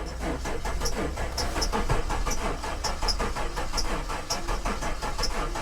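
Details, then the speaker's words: Possibly flood-damaged Maserati at salvage auction: starter churns engine over in slow, uneven pulses for several seconds, compression building but not catching; owner suspects it sucked up water. It did start after further cranking. "she sounds like she's trying though you can hear compression building try it one more time"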